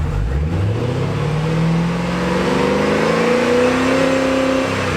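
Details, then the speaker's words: 2009 Holden VE Commodore 6.0L V8 after replacing a broken pushrod plus spark plugs and leads: smooth, even revs rising and settling with no miss or stumble; running cleanly, no engine light. "sounds smooth now, no miss, very smooth, no engine light. And yeah, job's fixed."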